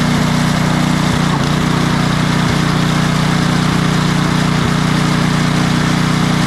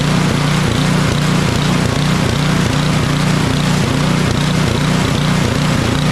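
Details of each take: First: Craftsman 28" snowblower with Briggs & Stratton 11.5 hp snow series engine, after cleaning out bad fuel and fitting a new carburetor: it holds a steady, even speed with no surging or hunting. Before the fix it surged off choke and died in deep snow. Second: Craftsman 28-inch snowblower with Briggs & Stratton 11.5 hp (1150) Snow Series engine surging, hunting up and down about three times a second with choke fully off; runs well at half choke; carburetor or fuel-related fault, likely water and a bad needle seat.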